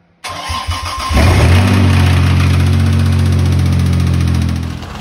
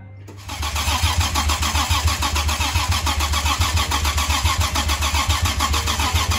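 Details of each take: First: 2007 Toyota FJ Cruiser that also has no reverse: the engine cranks, catches and settles to idle with a steady knock, about three or four per second. This is rod knock. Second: 2007 Toyota FJ Cruiser engine, first start after being rebuilt and reinstalled with the transmission: starts on the first try and settles to a steady, even idle with no knocking or tapping; normal start and idle.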